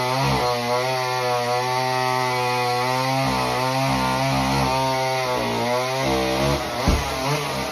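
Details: Homelite Super Mini chainsaw that previously wouldn't run, rev or idle, after repair: a clear high rev dips as it bites wood and recovers at once, with no sputter. It runs strong through a big log.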